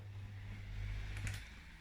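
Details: Miele W2839 built-in washing machine in service test mode, component test M8 drain pump; steady low even hum with one short clack midway; normal drain pump operation.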